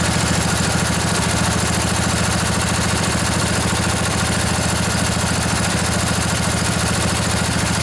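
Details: Junkyard Briggs & Stratton Intek twin-cylinder 20-25 hp riding mower engine, long sat outdoors, just revived: quick steady even putter at idle, no stumbles or knocks, little smoky after not running a while; normal idle.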